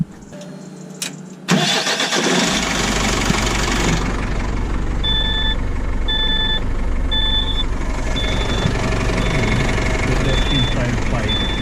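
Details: DAF truck diesel after fuel injector pipes and seals were replaced and the fuel bled, during an oil change: short crank, then it fires and settles into a smooth even idle as a dash chime beeps; healthy start.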